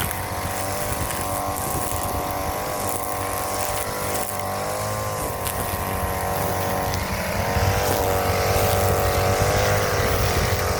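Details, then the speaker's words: Brand-new Hyper Tough 2-cycle 18-inch straight-shaft gas string trimmer (stated as 22cc and as 26cc) on its first start after assembly: a crisp, steady two-stroke buzz that rises and falls smoothly with throttle, no stumbling. Normal running. "It goes to show a new one works way better, man, because this one turned on like idiot."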